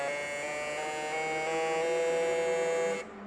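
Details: Fuel injectors on a test bench, pulse rate rising: steady high-pitched electric buzz that steps up in pitch, then cuts off; injectors pulsing rapidly, normal operation.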